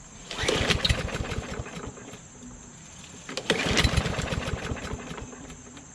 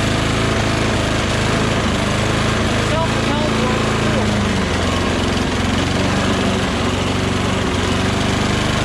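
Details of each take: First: Craftsman LT2000 lawn tractor engine: catches on the first pull and settles into a steady, even run with no knocks or misses, though it runs rich with black smoke. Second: Mower with oil and gas, wouldn't start after three or four pulls, started on starting fluid: small single-cylinder runs unevenly, pitch wandering and surging; erratic rough running, cause unconfirmed.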